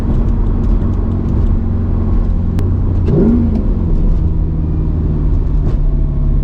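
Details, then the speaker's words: Mercedes C55 AMG, nearly warmed up (issue appears once warm), after a crankshaft position sensor replacement: the engine holds a steady elevated speed, wavering briefly mid-clip; revs still hang on deceleration, not fixed, cause unclear. "it's still doing it man what in the world is that what well guys we officially didn't fix it"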